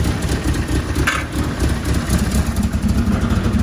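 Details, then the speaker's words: 4G63 compound-turbo engine in 1991 Fox body Mustang, first start, 4-inch exhaust with no muffler, small exhaust leak at top: steady, even, subdued low burble at idle; engine healthy, oil pressure over 100 when cold. "But as you can hear, like, this is as loud as it is. It's really not that bad. For a 4-inch exhaust and no muffler, it's not bad."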